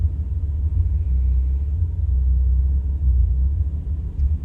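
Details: 1985 Celica 22RE-C four-cylinder at idle, recorded from inside the cabin at a gas station with doors and windows closed: low uneven rumble rising and sagging irregularly; rough idle, cause not identified.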